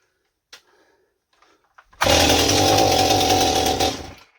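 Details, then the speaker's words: Stihl 028 Super chainsaw after an impulse line replacement, idle screw turned up: it fires and runs rough and blubbery for about two seconds, then dies. It starts but won't keep running and sounds very rich, getting too much fuel. "Yeah, I can't even get it to run long enough to get anything. Okay, so... And it sounds like it's getting too much fuel. It doesn't sound like it's not enough."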